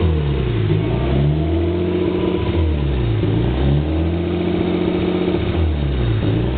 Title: S13 rb20det rough idle